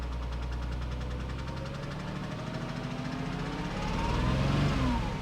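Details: Porsche Cayman S bought with a listed issue, airbag light on: a light, regular tapping about three and a half times a second over the idle that grows with throttle; engine tapping, cause suspected, not confirmed.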